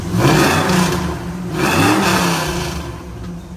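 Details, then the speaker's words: 2001–2002 Camaro SS SLP V8, about 100,000 miles, after headers, Y-pipe, differential swap and tune: deep rumble revs up crisply twice and settles smoothly, no misfire, louder than stock, light smoke from new headers burning off. "So it's gonna be smoking a little bit, but running smooth. Sounds great. Way louder than before, which is way better because it was stock."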